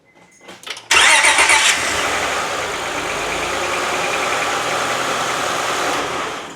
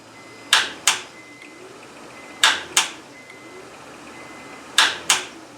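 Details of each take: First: 2004 Honda Accord 3.0 V6 VTEC after replacing a starter seized from sitting five months, short crank that quickly catches into steady running with no grinding or dragging; starter engaging cleanly. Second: 2004 Honda Accord 3.0 VTEC after sitting about five months, new battery: key turns give sharp double clicks, no cranking; starter seized, needs replacement.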